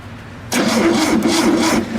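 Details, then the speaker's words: VW Super Beetle air-cooled engine cranked after reassembly: sluggish, dragging crank with no catch. The owner is unsure whether the battery is weak or the starter is slow; the battery is left on the charger. Slow cranking. "a little trouble cranking over though I don't know if the battery is just sluggish or if the starter is just slow"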